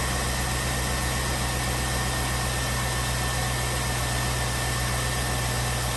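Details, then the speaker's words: Chevrolet Tahoe V8 with a P0300 misfire code after swapping to a 2006 ignition system with lower-mileage coil packs: a steady, even idle with a smooth low hum and no stumbles, no misfire heard. "well cranked up sounds excellent to me I don't see any problem with it"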